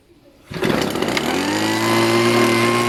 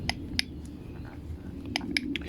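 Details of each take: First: Homelite Mighty Lite HBL26YBN blower, stored for years, after carburetor replacement and priming: fires on first pull, revs smoothly and holds a steady, even high-pitched drone with no stumbling; runs healthy after repair. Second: Homelite Mighty Lite HBL26YBN blower, good compression, engine not running: five or so sharp dry uneven clicks as primer bulb is pushed, caused by a hardened, stiff carburetor metering diaphragm; carburetor replaced.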